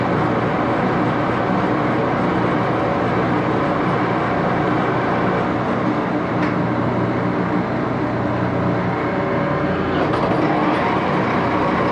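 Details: Axelson 14x30" heavy-duty gear head lathe run through its speeds, headstock filled with AW68 hydraulic oil (about SAE 20); steady gear hum with bright whir, no knocks or grinding; noisy but normal running.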